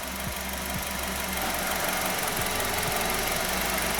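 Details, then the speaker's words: 2013 Nissan Qashqai 1.6, front-wheel drive, JF015 CVT at 90,000 km, after repair for a foreign noise: steady even idle in reverse, no whine, clunk or grinding; the original noise is gone, normal operation. "звук звука постороннего нет бунин доскональный сейчас все проверять и потом проверим и им здоровье как и на себя ведет но того звука который был изначально его нет и посторонних шумов тоже никаких не так на нейтрали никакого звука нет на нейтрали все нормально"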